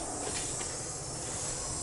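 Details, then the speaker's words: GAZelle van with LPG (propane) system: engine stalls when switched to gas, strong gas smell; steady sharp hiss over low engine rumble, source not located; suspected gas leak in LPG system. "слышите шипит не пойму где не пойму где ну прям сильные пение идёт"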